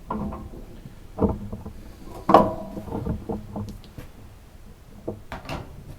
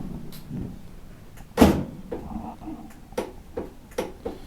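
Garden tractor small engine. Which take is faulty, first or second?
second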